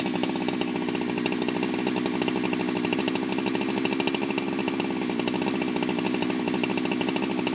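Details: Ported Jonsered 2071 chainsaw after rework; it had run poorly, like an air leak with a hot case, but no air leaks were found and the crank was re-tightened. Steady, crisp high-revving buzz that holds even with no misses or bogging: normal running.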